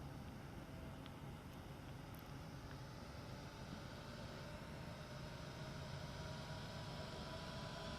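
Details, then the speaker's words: Traxxas Slash RC truck, newly installed cooling fan running when powered: soft, steady whir whose faint pitch slowly climbs as the motor speeds up; fan works properly. "like a speed enough yeah sounds like it speeds up okay cool so at least it comes on basically that's cool"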